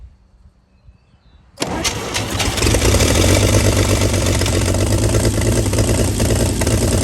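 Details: 1937 Chevy truck inline six, running after about 45 years sitting, running on gas after starting fluid, warming fast: catches after a brief crank and settles to a steady even idle, no smoke, no misses or knocks; normal idle despite rust in cylinders six, four and three.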